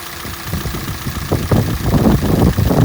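Cold engine idling with an uneven low knocking, roughly two to three knocks a second, growing louder; source of the knock unclear.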